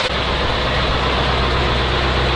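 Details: Abandoned ZIL-4975 heavy truck revived after manifold rebuilt, leak fixed and return hose refitted; started weakly, now runs at a steady, even low rumble with no knocks or whine, sounds healthy.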